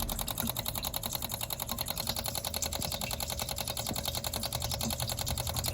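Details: 1983 Honda Shadow VT750C motorcycle, electric fuel pump tested with line disconnected, pumping old gas out of tank: rapid even ticking with steady buzz, gas heard shooting through; normal fuel pump operation.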